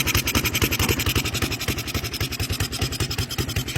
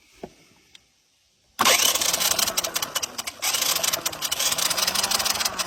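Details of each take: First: 1982 Honda Big Red 200 ATC three-wheeler (200cc), revived after about 10 years sitting, with a new spark plug and a Yamaha YZ tank fitted: small single idles steadily, firing cleanly and evenly; normal idle. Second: 1982 Honda Big Red 200 ATC three-wheeler (200cc), sat about 10 years outdoors, no key switch: starter jumped at the solenoid spins fast and rough for several seconds with no firing; cranks but no spark, testing to follow.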